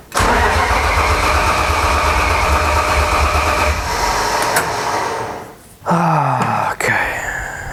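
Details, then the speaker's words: BMW M52 3.0 L stroker build, cranked with clutch in after clutch fork problem: steady churning crank about five seconds, never fires, then winds down; cranks but won't start. "So, what we're going to do is try and just start it with a clutch in just so we can know that it does start and run and uh there's potentially no issues there."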